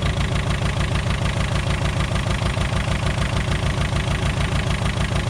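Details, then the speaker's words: VW Scirocco MK2 with ABF engine and rebuilt Yamaha R1 carbs after first start, idle being raised with carb idle adjust screw, distributor cap also turned; slow regular low thrum about three beats a second: low idle speed. "Should bring the idle up. There you go."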